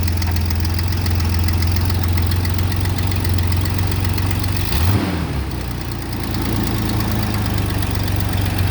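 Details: 1988 Chevy S10 after fuel filter replacement and fuel system priming, no leaks: engine settles into an even idle, one quick rev blip midway, then smooth again with no misfire or stumble; normal idle.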